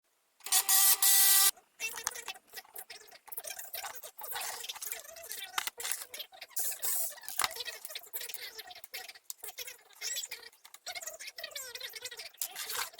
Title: Lexmark MB2236adw fuser grinding noise